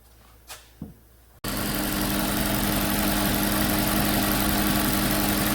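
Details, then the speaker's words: 2008 Audi Q7 4.2 V8 with a history of misfires, worse on hot restart, after injector replacement and intake valve cleaning: clicks, then a smooth, even idle; about 25 bar fuel pressure. "Well, there it is, back together and running again."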